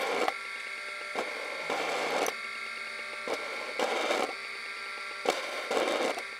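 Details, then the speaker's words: MFM hard drive (one of four tested from a 286 clone) spun up after its motor was removed and the internals manipulated: irregular scraping clicks and knocks about once a second over a steady high whine. The drive is broken with loose internal parts, worse than before. "That actually sounds very broken. So I think I just made it worse."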